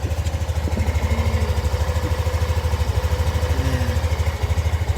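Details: Yamaha NMAX V2 scooter after repair of an engine knocking noise (engine opened, magneto cleaned): even idle putter at about three pulses a second, with no knocking, ticking or misses.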